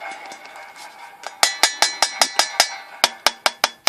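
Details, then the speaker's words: Water heater's portable expansion tank (should be at 80 psi), tap-tested beside a relief valve set at 150: a dozen sharp, quick taps ring hollow off the lower shell, as a properly charged tank should. "It should have that hollow sound at the bottom. and sound at the top."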